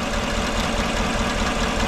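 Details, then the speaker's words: 2014 GMC truck, 5.3L V8, 81,000 miles, idling: uneven, lumpy beat from cylinder 1 misfire; plug swap didn't move it, test light shows no spark from the number 1 ignition coil; coil swap later confirmed faulty coil. "no spark coming out of that I don't know get this cover pulled off and we can investigate a little bit further"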